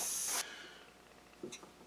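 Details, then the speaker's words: Shop compressed air distribution line being extended: a sharp high airy hiss that cuts off abruptly, compressed air leaking, probably at a hose gear clamp; fixed by tightening clamps, securing the filter and heat-softening the PVC. "not sure if you can hear it or not but we have a leak here i think it's coming from that fella right there"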